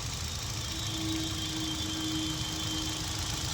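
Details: Hyundai i20 petrol idling with the cylinder 3 injector connector unplugged during a P0300/cylinder 3 misfire diagnosis: steady hum with a faint uneven stumble; the car had a warning light, missing and jerking.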